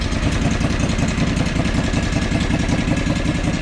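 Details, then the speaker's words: John Deere 445 lawn tractor, pulling coils/spark plug wires one at a time: idle drops to a low lumpy idle about 2.5 beats/s with uneven thump, running on one cylinder. "so the very interesting thing that occurs there is when i pull the coils or the spark plugs or spark plug wires it's a very different change so let's do that again so it automatically idles right down right"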